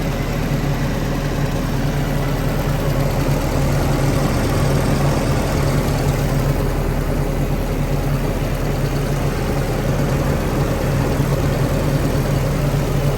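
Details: Willys-powered 120/240V 52 A Army skid generator, no load, good oil pressure, coolant low: deep steady drone holding even idle, no knocking or stumbling, no smoke; normal running.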